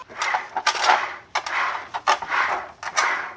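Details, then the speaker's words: BMW 528i F-body rear differential, removed from car and turned by hand: gritty rasping whir on every stroke, the whine reaching the cabin; disassembly shows lots of metal filings from internal wear. "이 소리가 나면 안 돼 이 윙윙 하는 소리가 어제 실내 쪽으로 들어오는 거예요"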